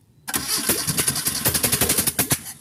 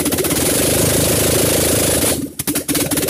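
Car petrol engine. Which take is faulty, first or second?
first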